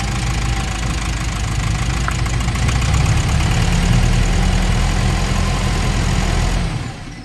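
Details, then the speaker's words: Nissan NV350 diesel with heavy vibration and no check engine light: lumpy idle clatter at about four pulses a second; cylinders 2 and 3 react weakly when unplugged, and a leak at those injectors is suspected. Rough idle. "so sa 2 and 3 mga Bossing may reaction siya pero sobrang hina ibig sabihin may problema onong dalawang injector tapos Napansin ko lumalagapak titingnan natin kung may singaw yun"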